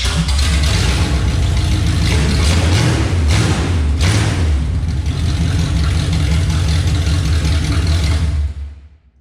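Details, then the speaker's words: Chevelle V8 on open headers before the turndown pipe sections are fitted: deep, loud, rumbling idle with an even lope and no knocks or ticks; healthy. "I'll start this up and we'll get a clip with it open header the way it is now which honestly really isn't super loud since it's just as stock 350 as far as I know"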